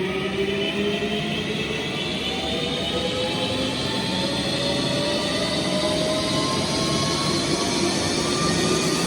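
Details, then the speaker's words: Precor 964i commercial treadmill ramped gradually to maximum speed, possibly about 12 mph: loud steady motor whine rising in pitch over constant belt rumble, normal noise for full speed. "As you can hear, it's as noisy as you would expect a commercial treadmill at full speed to be going."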